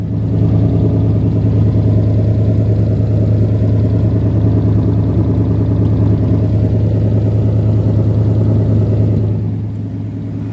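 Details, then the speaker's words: 1977 AMC Matador sedan with 360 V8, idling with a deep, even burble, steady firing and no knocks or misses; runs very nicely, coolant believed present. Normal idle. "and i mean it it runs real good um as far as i know there's coolant in it um yeah she runs real good you know this thing runs very nicely"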